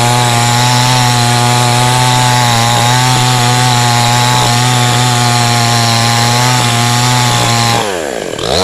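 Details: Cheap model 5200 two-stroke chainsaw with small chain and bar, cutting wood: steady high buzz holding revs under load, chain pulling cleanly, no bogging; no power loss, normal cutting.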